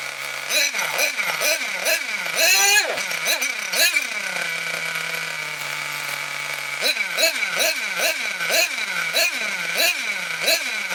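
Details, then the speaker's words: Nitro RC car engine, cold, just started with glow plug: revs blip repeatedly with a sagging, strained top end, then settle to a high idle; running lean and starving for fuel, partly from the cold, needle valve wound out half a turn. "When I was revving it up and it was starving for fuel, you could hear it going, and that was partly because it was cold"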